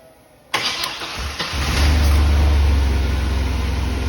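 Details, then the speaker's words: GM pickup with a no-start from low fuel pressure while cranking; its 650 CCA battery tested 454: brief crank, then it catches and settles into a low idle, and fuel pressure is much better. Normal crank and start. "I'm going to give it no other assistance, but just simply cranking it."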